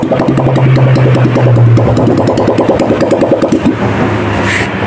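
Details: Honda Vario 150 brought in for power loss in rain, with radiator coolant suspected of mixing with engine oil, refilled with used oil and full coolant for testing: small engine putters at an even idle, calm with no knocking.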